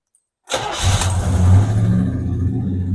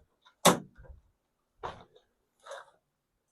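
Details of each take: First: 1977 El Camino after 10 years sitting, hot day, suspected overheating; brief crank then fires right off into a steady deep idle with no stumble, reverse and some brakes working. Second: 1977 El Camino after sitting 10 years, plugs out, spinning over: a few short clicks then a high, smooth whir with no cranking beat; starter possibly hanging up, not confirmed.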